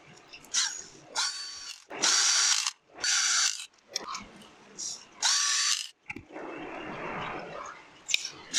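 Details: Bosch GWS 600 angle grinder after damaged-bearing replacement: short bursts of a clean, steady high whine with smooth spin-ups and coast-downs, no rattle or growl. Noise fixed, normal running.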